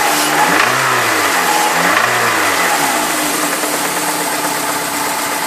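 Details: Peugeot 306 S16 engine revving up and back down twice, with a rough, rattly mechanical edge over the exhaust note; abnormal engine noise, source unclear.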